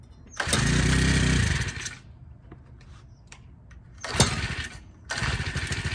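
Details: Honda Harmony FG100 small tiller, carburetor fixed after sitting: a couple of pull-start bursts, then it catches and runs with a steady, quick putter; normal running.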